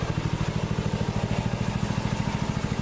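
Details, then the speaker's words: Predator 6.5HP Honda-clone engine rebuilt after water seizure ruined the valves, breaking in at idle after about 15 minutes running: steady even low thumping about three beats a second, no misses, knocks, smoke or substantial oil leak; idling smoothly. "It's been running, I don't know, how many minutes do I have on this thing? It's been running about 15 minutes now."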